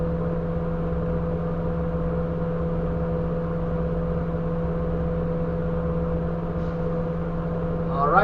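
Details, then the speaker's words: CDL air brake pre-trip governor cutoff test, engine idling on level ground, heard from the cab: a steady compressor hum as pressure builds from 90 psi, then a short sharp burst of air as the governor cuts off at 125 psi, working properly. "hopefully you just heard that. We could hear it in here. That was at 125 psi. The governor cut off and is working properly."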